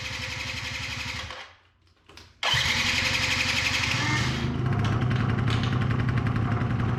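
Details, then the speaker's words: 2005 Yamaha YW50 Zuma 50cc two-stroke started cold after long storage: it catches after a brief stumble, then settles into an uneven, popping, slightly hunting idle with heavy smoke. Battery reads 12.8 V and is charging; rough idle. "really putting out some smoke but I think it's clearing up glad it's idling batter is at 12.8 so it's charging too it's just that's a rough idle it's alive"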